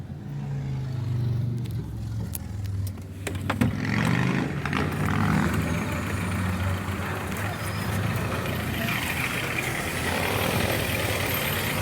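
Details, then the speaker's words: Ford with hydraulic power steering at idle, wheel turned early in the morning: a low, uneven groaning hum as the pump is starved, with the fluid reservoir found low; the owner says to check for leaks. "família fez esse barulho uh uh de manhã cedo virando ao volante é suficiência de óleo"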